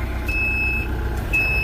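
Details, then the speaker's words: RK 74 tractor warming up on a snowy day while the operator swaps implements. Loud, high-pitched backup alarm beeps about half a second on and half off over a low engine rumble; it works normally but sounds as if it is in the cab. "if this was mine that right there would be eliminated in a heartbeat that backup alarm is it sounds like it's in the cab"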